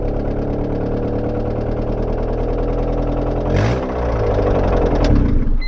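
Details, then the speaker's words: Honda Civic hatchback engine, still running on four cylinders: loose, uneven knocking roughly three times a second under the steady hum; engine knock, cause not pinned down, engine likely to be condemned. "oh it is a knockin I didn't think I heard it but now I do"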